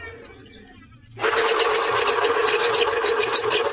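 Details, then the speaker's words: Ceiling fan running with a loud, harsh grinding rattle over a steady hum, from a worn bearing. "ये चलता तो है लेकिन आवाज कर रहा है बहुत ज्यादा। तो इसमें देखेंगे पंखे में क्या दिक्कत है। वैसे इसके जो आवाज है वो बैरिंग की है।"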